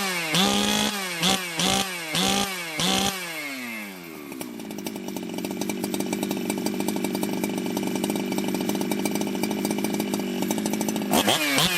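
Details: Jonsered 2071 chainsaw, back on the bench after running poorly like an air leak with a hot case and crankshaft bluing from rubbing, restarted after possible flooding: fires with a few sharp blips, then settles into a steady, crisp, strong high-pitched run.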